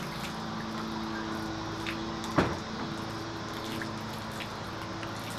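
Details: 1956 Evinrude 15 HP outboard idling cold on choke after a full tune-up and new water pump: steady hum, then a single sharp clunk as the engine jerks and nearly stalls; rarely when warm and not in gear, cause unknown.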